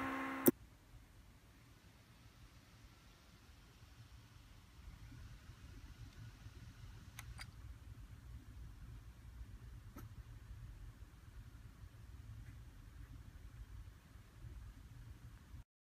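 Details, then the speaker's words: HP x360 laptop fan after the fix: a faint, steady low hum with no scraping. The blade had been hitting the metal case and back cover, causing noise, so the case was wedged wider and three washers were added. "I put three washers so it won't touch the um back cover and put it back and the noise is gone simple test"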